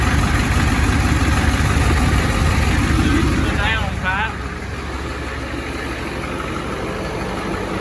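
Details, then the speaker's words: 1986 Ford F350, 7.3 IDI diesel with ATS turbo kit, first run after install: steady smooth idle with quick rising chirps; alternator belt found slightly loose, likely squeaking. "Belt squeaking or something. Maybe that's the alternator. Well, you got the alternator belt is a little loose."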